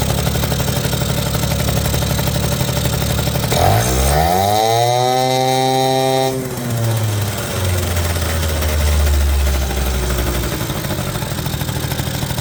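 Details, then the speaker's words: 1980 Suzuki FS50 (Snip) two-stroke scooter found by the roadside, sitting an unknown time, smoking a little from extra oil: rapid buzz at idle, quick blip and settle to an even idle, runs cleanly; carburetor could still use a little tuning. "and there it is sounds good seems to run pretty good could use a little bit of tuning on the carburetor still"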